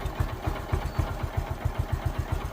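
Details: Bajaj Discover 125cc single-cylinder motorcycle after clutch plate and pressure plate replacement and oil refill; steady idle thump about five firing pulses a second, clean and even with no rattle; engine runs fine.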